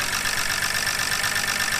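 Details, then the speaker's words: BMW E90 rescued from a bad shop, with a leaking valve cover: a quick, steady ticking over a smooth, slightly diesel-like idle that keeps pace with engine speed. The engine seems good, but the lifters are still loud. "it sounds like the engine itself is good the lifters are still loud"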